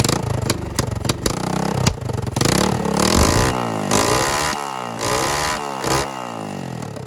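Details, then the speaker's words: Yamaha 225DX Tri-Moto three-wheeler being revived, kick-started with the throttle pulled out of the handle (cable too short, adjuster broken), on old dirty oil: kick-start clatter, then it catches and revs smoothly, no valve tap. Normal running. "Again, no valve tap, none of that. No valve tap, even with the shitty oil that's in it."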